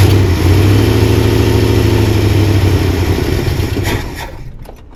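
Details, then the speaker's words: 1979 Jeep Cherokee, AMC 360 V8, sat 3-4 years unstarted; catches, runs rough a few seconds, winds down and dies; stalling, fed from a plastic gas jug (tank holed) that is nearly empty with bad-looking gas. "Alright guys, I can't keep it running. And my gas, I've got a plastic gas jug in the back behind the driver's seat that I was using for a gas tank because my gas tank had holes in it. So it's pretty low and the gas in there looks really bad."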